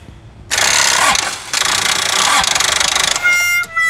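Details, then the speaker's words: 1999 Toyota Hilux SR5 2.8 diesel start attempt; starter whirs hard, then drops into slow, uneven pulses and never fires cleanly; weak battery cannot spin the engine, jump start planned. "calma mostrado isso aí é bateria fraca Vamos fazer um chupeta aqui agora"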